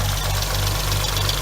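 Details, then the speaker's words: 2006 Hyundai Tiburon 2.7 V6, 6-speed manual, even idle with a fast, light ticking steady on top, from clogged, oil-starved hydraulic lash adjusters; adjusters, timing belt and water pump replaced, removing about 90% of the ticking, remainder thought injectors and throwout bearing. "we have a problem of getting clogged up not getting oiled correctly making a loud ticking noise"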